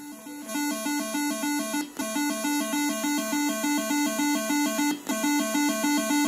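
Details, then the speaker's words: Scorpion 1 arcade board (original sound card): looping game tune comes through harsh, buzzy and crackly with dropouts, as the leaking battery has corroded the audio amplifier section, distorting the sound. "As I said, the battery gets the audio section on these, so the sound's terrible at the minute."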